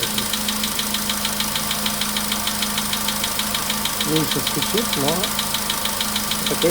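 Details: VW Polo Sedan, 99,329 km, cold start, 15° shown: sharp regular knocking about two per second over idle, anvil-like, clear above engine; knock worsening with mileage, fades after about 5–6 minutes.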